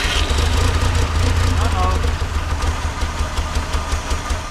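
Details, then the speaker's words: 1958 Lull telehandler/cherry picker after 15 years parked, carburetor missing its linkage: catches and chugs unevenly a few seconds, then firing fades and it dies; fuel mixture suspected, not confirmed. "see it sounds like I got it and then it quits running"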